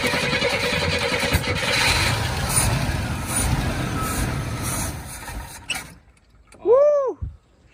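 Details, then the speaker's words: Oldsmobile Cutlass after transmission vacuum fitting repair, first start attempt: starter churns for several seconds without the engine catching, then falls quiet, same no-start as before, battery not dead; cause not evident. "it ain't dead it's just doing the same thing we did before does it try"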